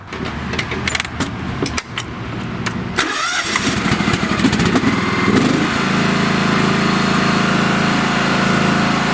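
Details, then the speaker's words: John Deere riding lawn tractor after replacing its 7-year-old (2018) battery, which had too little charge to engage the electric PTO clutch: cranks about three seconds, catches cleanly, settles into an even run with a deeper hum as the deck engages; normal start. "So, I'll start it up with the new battery, and I am 99% sure that everything will work, including the deck."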